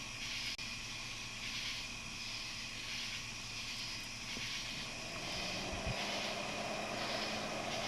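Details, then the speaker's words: Old PC power supply of unknown age, switched on by jumpering green and black wires, for a homemade car vacuum/boost-leak smoke machine: soft steady airy whir with faint hum; built-in fan came on, supply works normally. "So there you go. That's working power supply. See, the fan just came on."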